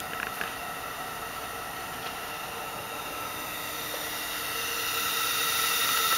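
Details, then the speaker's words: Factory plastic Evo 8 diverter valve on a bench rig fed by a low-flow compressor, holding about 21 psi while leaking around 180 ft per minute of air: a steady, airy hiss that grows as pressure builds; diverter valve air leak. "this is a lowf flow air compressor so it doesn't exactly pump out that much volume so once it starts to leak it can't really make the pressure it's able to hold 21 lb like 180 ft per minute of air"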